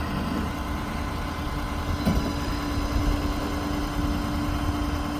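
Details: 2012 Ford F550 bucket truck, 6.7-liter diesel idling with PTO engaged operating ETI telescopic articulated boom: even hydraulic hum and constant mid tone, no knocks or squeals; normal PTO and hydraulic boom operation.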